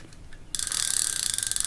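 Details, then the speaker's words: Burning Shark MG 7000 baitrunner spinning reel, main drag tested after spooling braid: fast even high clicking about twenty per second as line pulls off; drag runs smooth, though a plastic ring under the spool rubs. "Pretty smooth, actually, surprisingly. For now, see how long that lasts. And I mean, I have to say, it has a decent feel to it."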